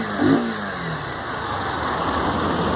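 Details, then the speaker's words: Honda Titan 2017 motorcycle, after a slightly loose chain that caused an engine noise was tightened and lubricated: single-cylinder starts and revs cleanly, pitch rising and falling smoothly, no rattle; runs healthy. "E aí nó partir do momento que que ela que ele apertou a corrente e a lubrificou, eu não tinha mais problemas com com esse tal barulho incômodo no motor."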